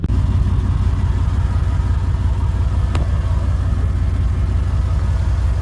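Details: Steady, even low rumble at idle from the LS-swapped 1997 Chevy Tahoe after the mechanical fan conversion with the factory OBS shroud; fan sits farther in, no rubbing, ticking or wobble, idles cleanly and healthy.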